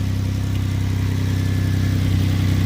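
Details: 2006 Hyundai Azera 3.8L V6 after fixing a shorted ignition coil that blew the coil fuse and caused crank-no-start: smooth, steady idle with an even low pulse, no misses or stumbles; normal idle.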